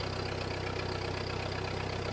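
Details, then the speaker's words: 1948 Ford 8N tractor, a week after hydraulic howling and a squeaky alternator belt, belt checked, hydraulics untouched: even, regular low idle pulse with no howl or whine, 40 lb oil pressure, charging; healthy idle. "Oh Hey listen there's no howling what does that mean got 40 lb of oil pressure"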